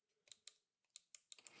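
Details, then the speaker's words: Cordless angle grinder motor (19.2 V, 7000 rpm) on a 12-24V 30A PWM dimmer set to minimum, stalled for lack of current: faint steady high whistle from the motor winding under scattered clicks; whistle vanishes at higher speeds. "Mais on entend un sifflement, et c'est l'enroulement qui siffle."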